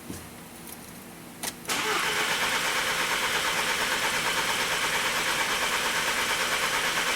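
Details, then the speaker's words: 2012 VW CC 2.0 TSI CCT engine with cam timing codes P0341/P0016, intermittent no-start that usually starts on retry; starter churns steadily with even pulse for several seconds, engine never catches, crank no start. "so there's the no start problem but uh almost always when it does this you can try again and it'll start"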